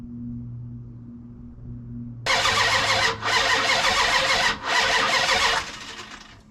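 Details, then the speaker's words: Car with an MSD ignition box: the starter cranks in two long bursts but the engine never catches; crank with no start and no spark because the distributor pickup wires weren't connected. "So, uh, I'm an idiot. The pickup wires weren't even hooked up to the distributor."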